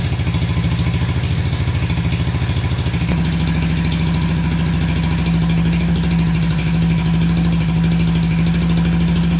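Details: Barn-find Honda CB350 twin (listed as 1970 or 1974), revived after years sitting, warming with both pipes hot: low, slightly uneven thumping idle with steady exhaust pulses, both cylinders firing.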